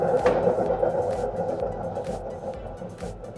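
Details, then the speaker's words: Front-loading drum washing machine, partly disassembled, drum turned by hand: a rough, grating drone with a pulsing rasp. This indicates a failed drum bearing, unlike the smooth spin of the same healthy model; the bearing is replaced using a jig. "네. 지금 이렇게 통을 돌려 봤을 때 굉장히 거슬리는 소리가 많이 나는데 이런 증상들이 대부분 베어링의 이상이 있는 경우에 나타나는 증상들입니다."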